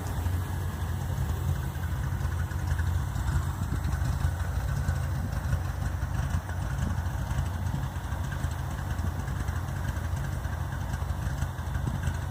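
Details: Deep, steady idle burble through a new exhaust with a low, uneven buzz underneath; the lopey note may be cam chop or a misfire, unresolved.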